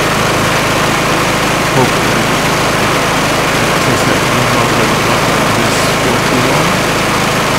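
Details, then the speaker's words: Kohler Courage engine on a mower after 200 hours, run briefly after valve adjustment to spec (intake 0.005 in, exhaust 0.007 in; they had been 0.008/0.011) and an oil top-up, cooling cover not yet refitted: loud, steady, even idle with no valvetrain ticking. "then I'm going to start this thing for a second to see how it runs"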